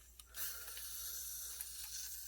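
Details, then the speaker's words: Crosman full-auto BB magazine, CO2 seal performance check after assembly: sudden steady high airy hiss of gas escaping; suspected issue at the bearing/valve area. "oh I can feel it coming out the second that's why we're doing a performance check so while it's hissing out the second that's because there there's something about the bearing in there"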